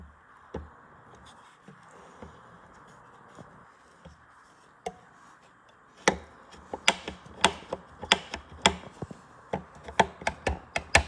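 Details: Elite Suito bike trainer whirs quietly, then sharp clicks at about two to three per second from a worn belt tensioner pulley bearing (type 608RS); the fix is replacing that bearing.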